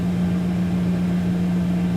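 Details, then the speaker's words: 2001 Dodge Dakota 4.7L, restarted without touching the gas. A steady, even drone holds at a fast idle, idling high as on the cold morning start, then later comes down. "idling high like i did first thing this morning let's see if i can well i didn't touch it"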